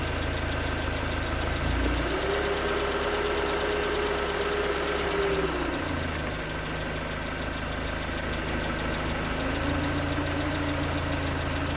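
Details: 2019 Hyundai Tucson 2.0L GDI Nu, 24,000 miles, Mobil1 5W-20 with under 1,500 miles on it, cold idle: dull steady knock about three per second persisting as revs shift; suspected piston slap, cause unconfirmed; thicker 5W-30 later helped slightly.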